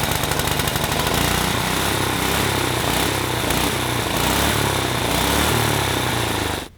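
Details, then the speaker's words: Junkyard go-kart with the original Tecumseh 6.5 hp engine that had weak fuel flow: loud, uneven popping idle with irregular beats and a stumble at the end; rough idle, suspected clogged idle circuit, so the carburetor was replaced. "probably have a uh clogged up idle circuit we just decided that since we're having idling problems uh we're just gonna bite the bullet and put the go power sports carburetor on there"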